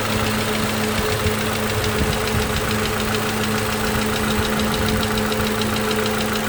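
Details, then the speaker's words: 2011 Toyota Camry 2AR-FE after lifter and rocker arm replacement (had stalling, lifter tick, P0016 and cam/crank sensor codes); smooth, even idle with AC on, no change in engine noise, but a faint quick ticking remains. "AC is on. No change in engine noise. However, I do hear, I don't know how we can hear it, but I do hear like a slight ticking."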